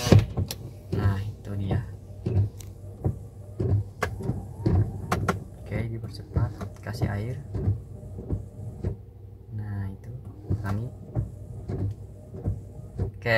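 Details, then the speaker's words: Toyota Yaris with new replacement wiper blades on wet glass, heard from outside at fast speed: soft, evenly spaced swishes with no chatter, judder or squeal, barely audible, normal windshield wiper operation. "Oke bunyinya seperti itu tidak terlalu terdengar ya Oke kalau dibuka aja tidak terlalu terdengar apalagi kalau ditutup yaat"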